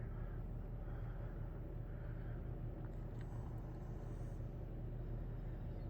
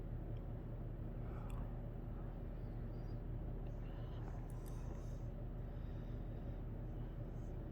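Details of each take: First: 1990 Halsey-made Seville 52-inch ceiling fan in like-new condition running on low, a low steady hum with a faint slow pulse under a whole-house fan in the background; motor hum. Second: 1990 Halsey-made Wholesale Merchandisers Seville 52" three-speed reversible hugger ceiling fan, 12° blade pitch, on medium: steady even low hum, slight installation hum, no bearing noise or rubbing, over whole-house fan drone. Normal running.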